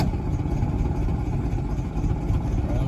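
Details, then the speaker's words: 1968 VW Beetle, air-cooled, hard start fixed by adding a 30 A starter relay/solenoid plus push button; starts right up on the key. Low, even rumble with no stumbles or misses; normal running. "it starts right up my key in the ignition and got a little push button on the bottom make easier cuz it don't like to turn over so y you can hear it turn right on"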